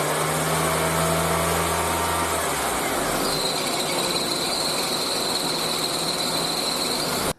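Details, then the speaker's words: Honda Accord at idle with the AC switched on: a loud, steady, high-pitched chirping squeal of a slipping belt that vanishes with a little throttle; the belt lacks tension. "刚才我们可以听到是这个叽叽叽叽叽这样的声音，这个就是皮带声音。然后我们有开空调的时候，声音稍微小一点，把这个冷空调开起来之后，声音就更明显了。"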